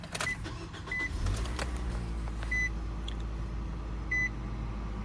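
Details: 2020 Nissan NV200 S cargo van, 2.0L 4-cylinder, automatic, 107,867 miles, fresh oil and filter change: a few chimes, quick crank and catch settling into smooth, steady low idle with no knocks or misses; normal start and idle.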